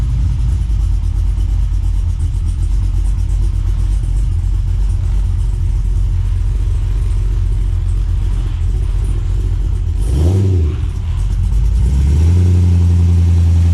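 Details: Holden VX SS Commodore first drive after full engine and transmission rebuild with big cam, new exhaust front to back and new tailshaft: deep lumpy V8 rumble pulling steadily, brief swell, then a strong rev; healthy.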